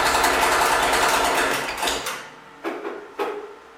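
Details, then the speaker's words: Freshly rebuilt Ford tractor at first start: rapid light ticking clatter over the engine until shutdown, then clunks; fan hitting the shroud and a belt squeak. "um when i was starting it up uh two issues presented themself right off the bat you can kind of hear both of them in the the video um the fan was hitti"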